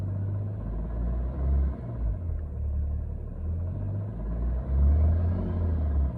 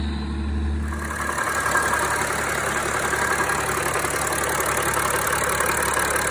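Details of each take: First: BMW 335d with M57 diesel idling with a deep, even rumble and no knocking, after cutting the AC belt; the ticking previously mistaken for rod knock was a bad AC compressor. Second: BMW 335d M57 diesel idling: quick uneven knock about three or four per second, first suspected injector then rod knock; cutting AC belt showed a failing AC compressor as cause.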